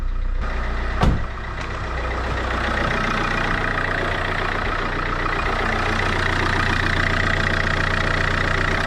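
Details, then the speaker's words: Opel Vectra C after the power steering pump replacement, idling with one brief clunk, then even running with no whine, groan or leaks; old pump had whined and cut assist, new pump healthy. "Dobra, nic nie cieknie, jest dobrze. Nic nie cieknie, nic nie wyje."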